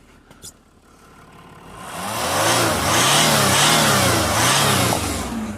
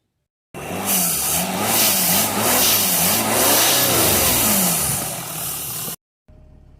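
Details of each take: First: Jaguar XF 3.0 TDV6 diesel that had limp mode and power loss, after re-clipping a loose intercooler intake connection: the engine revs strongly and smoothly with even pulls and no hiss of escaping boost. Boost leak fixed; normal revving. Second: Jaguar XF 3.0 TDV6 diesel in limp mode with power loss and a blocked DPF: it revs with a loud airy hiss. A boost leak at an unseated intercooler pipe clip was found, blamed for the DPF failure, and refitted.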